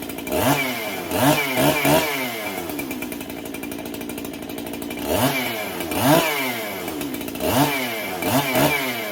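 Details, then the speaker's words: Freshly built 371 chainsaw being broken in, cold start on a chilly day: blips in uneven bursts and hunts at idle between throttle stabs; low-speed circuit lean when cold, cleans up after idling briefly; owner may richen low-speed. "all righty so she seems a little lean on the low speed circuit for a cold like a cold start like today"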